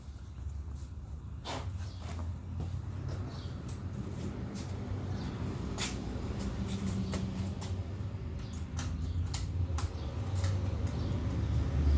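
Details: 2017 Yamaha FZ-09, test start after clutch replacement: low, steady engine rumble with a few light clicks, swelling slightly as it is revved; runs smoothly and sounds healthy.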